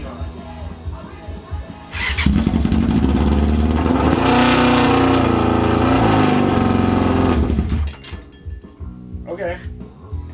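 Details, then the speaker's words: 1994 Yamaha FZR600 sitting 15+ years, started with starting fluid in the carburetors, idle set: engine fires then flares to a high sustained howl for several seconds before dropping back; revs hanging at full throttle, cause unknown. "I got the idle set okay and then I went to rev it and it just like"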